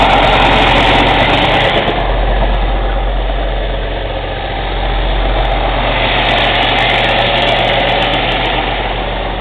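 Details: Cummins ISX CM2250 diesel idling during DPF regen: a rhythmic, sharp, airy intake chuff about three or four a second, with no mechanical engine noise; owner suspects turbo chuff during regeneration.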